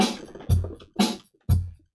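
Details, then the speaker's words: Gemini WPX-2000TOGO speaker after no-sound repair, now with the top speaker plugged in alongside the sub; crisp drum beat about twice a second with full punchy low end and clean highs, playing properly. "Okay, I don't know if you can see, but I plug the top speaker on, and yeah, that sounds much better."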